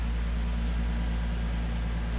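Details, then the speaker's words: Nissan 370Z Nismo, about 29,320 miles, cold start after sitting about a week in cold weather, heard from the front: deep, even idle with a steady beat and no chirp, squeal or belt slip; normal, healthy cold-start idle. "No squeals or nothing. No belt slip."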